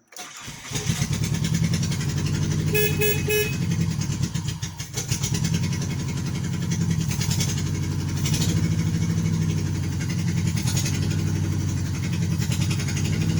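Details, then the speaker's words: 1988 Nissan Sentra with the E16i engine after troubleshooting starting and running issues: catches within a second of cranking and settles into a steady, even idle with no stumble or misfire. "Alright, got the car started with"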